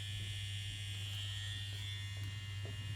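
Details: Immortal Innovations KillerBee rotary tattoo machine, run in after building/servicing for despatch: smooth, even low buzz with steady high hum, no rattle or knocking. The start-up noise has settled and the machine runs normally.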